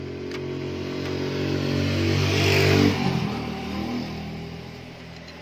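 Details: Isuzu C240 diesel with diaphragm-type injection pump that smoked white and ran wild with raised idle; revs up smoothly then drops straight back to steady low idle without hanging or climbing, governor responding properly.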